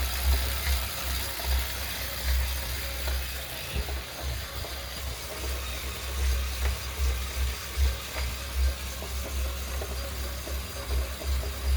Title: Wahoo KICKR knocking noise Feb 21 3/3